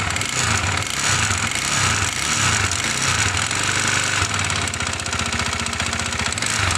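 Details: Irbis TTR250 bike, bought non-running: harsh, uneven knocking about one and a half per second over rough running. Piston knock.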